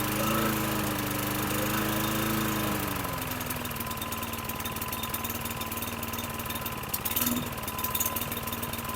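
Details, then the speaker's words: 2009 Lawn-Boy mower, model 10642, 675 series engine, 20" blade: the throttle tab is pulled forward to raise rpm, and the engine revs up, then sags with irregular stumbles from the exhaust, cutting out at raised speed; cause not yet confirmed. "You pull it forward, it puts tension on the spring. As I did, you can hear from the exhaust that it started to cut out."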